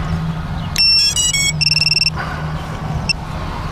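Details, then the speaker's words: FPV quad powered up in a park after the controller: run of short high chirps and stepped beeps over a low hum, the normal boot-up sequence before arming. "let that thing go through its boot up process and we are ready to go"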